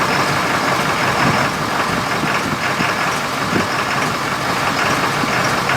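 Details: 6.7L diesel with diesel exhaust fluid (DEF) in the fuel tank, started briefly on fuel supply from a container: loud, harsh idle with uneven knocks and a ragged beat, not happy; rough idle from DEF-contaminated fuel.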